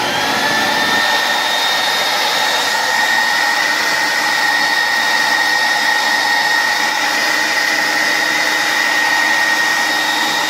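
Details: 1980s Beam Model 167 central vacuum fitted with a new Ametek Lamb 116765 12 A three-stage motor, replacing a failed motor that sparked and blew the fuse: a steady high-pitched whine spins up smoothly with no sparking crackle; normal running.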